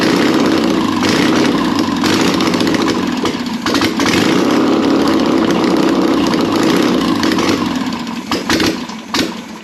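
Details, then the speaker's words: Air-cooled 1600cc VW Beetle engine, candidate for a 1974 VW Bus, run with no exhaust or headers: loud raw open-exhaust run with throttle swells, then dies down; even firing, no knocking, normal running. "now that is what I'm talking about we got that to finally run I didn't hear any knocking anything like that sounds freaking good"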